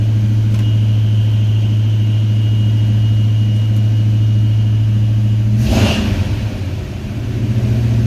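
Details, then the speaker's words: 1979 Chevy C20 truck freshly rebuilt engine, oil pressure good: strong, even low rumble, then a quick throttle blip settling smoothly back; sounds as it's supposed to, normal revving. "Alright. Sounds great. Well, let me give myself a pat on the back. No, we're good to go. That's how it's supposed to sound."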